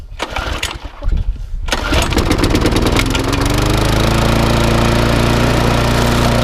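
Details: Briggs & Stratton 3.5 engine swapped onto a mower, taken from a known runner in the shed and freshly serviced, first start; it may still need a carburetor gasket set. A few pops and cranks, then a steady, even single-cylinder drone; running normally.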